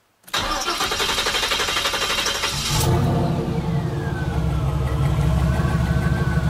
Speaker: Anyways, thought you might like to hear a video of the turbo actually spooling. It spools at idle. You can hear it.